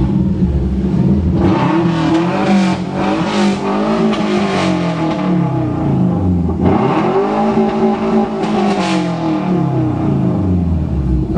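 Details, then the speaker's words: Subaru Legacy: engine sweeps up hard, hangs at the top with a stuttering cut, drops and climbs again. Rev limiter catching during revving. "ah too bad he's got a rev limiter too"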